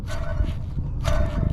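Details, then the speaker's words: 2004 Ford Expedition, newly installed pulley spun fast by hand: a short, steady mid-pitched hum with a rough edge that dies away each spin; the bearing is bad, to be replaced, and the belt tensioner pulley also sounds suspect. "that's not good so I'm gonna stop what I'm doing right now I'm gonna run to the auto parts store and I'm gonna go get another one"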